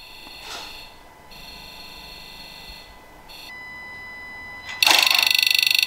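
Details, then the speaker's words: Ford Ranger PX 2.2/3.2 diesel, FORScan injector self-test buzz in park: sharp electronic buzzing, then even rapid ticking near 3–4 per second; every injector sounds the same, with no inconsistency. "so as you could hear by that injector test each one sounded just like the other there weren't any set of this you know inconsistencies or anything with the sound"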